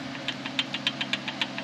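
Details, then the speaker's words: 2001 Camaro SS, factory power steering pump that whined after warm-up: sharp light ticking about seven times a second over a quiet hum; the pump has play, worn bearing causing the whine. "Yeah. So, it's got some play on it. That's why it was whining."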